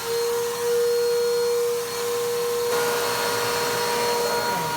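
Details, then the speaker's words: 2017 Bissell PowerTrack Compact 1808 vacuum, 7.5 amp motor, first run after being found: dust blows out, loud steady roar with a fixed whine near 500 Hz, slightly uneven; motor sounds rough and needs servicing. "dust just came out of that motor everywhere and that motor sounds terrible that motor sounds like it needs some servicing"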